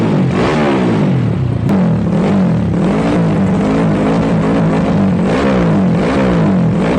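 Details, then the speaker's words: Yamaha Jupiter Z bored-up engine used daily, fresh oil, new spark plug and fuel: loud deep exhaust drone rising and falling cleanly with each rev, no knocks or misses; normal running. "Ya, oke guys, tadi kita udah dengerin suara motornya. Tentunya di video kemarin, di suara komparasi knalpot kemarin sudah ketahuan gimana suara knalpot dari si motor ini."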